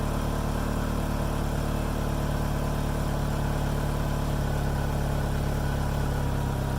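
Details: 2nd-generation DSM started right after fuel filter replacement and fuel pump reconnection; steady low hum with an even beat, no knocks or misses, settling into a smooth idle.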